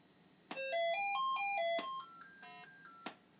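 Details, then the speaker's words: Another Commodore 64 SID sound chip: test tune plays as thin, uneven stepped beeps with an odd off-key run; chip is bad. "Okay, that was interesting. Yeah. I don't know where the volume on this is. I'm sure you could hear. It's not good. It's just not good."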